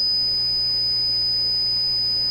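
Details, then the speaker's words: Nordmende Norma Luxus tube radio on FM: steady 5 kHz test tone with a low hum underneath that kicks in when the dial is tuned off center. "that's another characteristic of fm radios which i don't fully grasp uh why they do this but fm radios can hum between stations a little bit or come when you just tune them off like this in these old radios"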